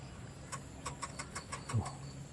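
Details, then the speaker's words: Canon EF 135mm f/2.8 Soft Focus lens racking focus: about seven short buzzy clicks in under two seconds; slow, noisy autofocus that is normal for this lens. "untuk sebuah lensa prima diamond fokus dengan sangat lambat dan sangat bising"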